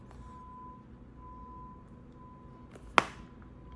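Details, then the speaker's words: Google Pixel Fold original review unit held lightly without real pressure: quiet room, then one sharp dry click from the hinge as it folds; cause unknown, replacement unit clicks less and not on every fold. "if I hold it just like like this and I'm not applying any kind of real pressure I'm just really holding it yeah there's some kind of click"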